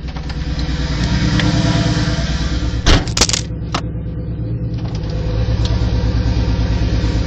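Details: Mk3 Toyota Supra at almost 100k, idling: a low, steady knock about three times a second, with a brief handling clatter midway; rod knock from a worn rod bearing.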